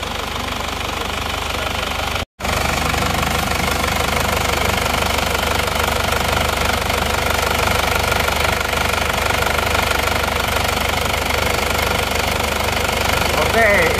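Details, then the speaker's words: Diesel from Probolinggo at cold idle: clattery beat with a steady rush of air and pressurized smoke from the crankcase. Blow-by judged mild, not severe; likely needs new piston rings, and hopefully the cylinders aren't scored. "e ada gejala ngobos sebenar menurut saya belum parah ngobosnya tapi mau dibenarkan kemungkinan ganti R seer"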